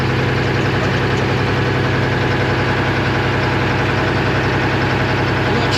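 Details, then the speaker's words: 1975 International Loadstar 1850 with a Detroit 6V53 two-stroke diesel, running off a bucket after its fuel lines were found loose: dense, even diesel chatter at a steady fast idle with no misses or knocks; normal idle. "boy it sounds kind of cool fellas"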